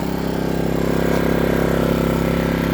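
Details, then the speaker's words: New Power Smart 3800 W dual-fuel inverter generator on its first break-in run, idling with no load and the eco idle control off: even, steady low hum with a smooth regular pulse and no knocks or misses, a normal idle. "You hear it running. It's uh really quiet. That's not even with the uh idle control on the echo to make it quieter. So, folks, that's pretty impressive how quiet it is."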